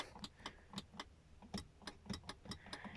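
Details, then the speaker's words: Nissan 350Z passenger power window, switch pressed from both sides: power present but only sharp uneven clicks, no motor whir, glass not moving up or down; failed window motor. "so it does have power but it's not working and then again from this side if i hit the power button you can hear it but it's not working not up or down"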